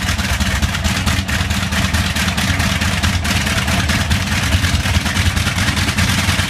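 The big radial runs with a steady deep drone, but the beat stumbles unevenly with occasional soft or dropped pulses: a slight misfire.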